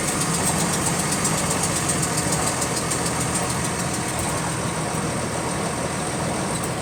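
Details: GAL WVL358 bus on route 486: steady diesel idle with light, fast clicking keeping time with engine revs; clicking in time with engine speed, source not pinned down.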